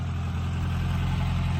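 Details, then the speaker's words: Air-cooled flat-four VW Bug revived from abandonment, pinched fuel line fixed, warming up for heat cycles: smooth, even low idle with a steady beat and no knocks or misses, idling cleanly on its own. "It's so nice that it just idles. I can turn it on, walk away from it, and it idles just like it should."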